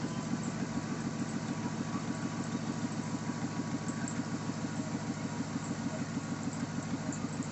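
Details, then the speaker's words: 2007 Chevy Silverado V8 starting and idling after a stainless exhaust manifold install, with one broken bolt still in place: a steady, even low burble, and the earlier exhaust leak is barely audible. Normal idle. "Um, like I said, I had an exhaust leak and you really can't hear much of it anymore."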